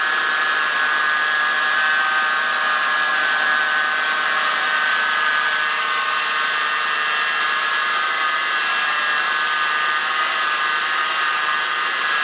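A steady high-pitched whine rides over the running engine without wavering, pointing to a belt-driven accessory whining under the hood.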